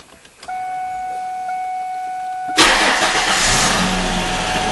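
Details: 1994-2004 Ford Mustang after fuel pump replacement, car back on the ground: steady high electric hum of the pump priming, then a quick crank and clean catch into an even idle; healthy start.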